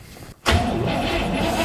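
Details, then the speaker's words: Cadillac big V8, last driven in 2009, started after vacuum line and brake check work: it bursts into life and runs with a lumpy, uneven note right after catching. Running rough. "It's alive. It doesn't sound good, but it's alive."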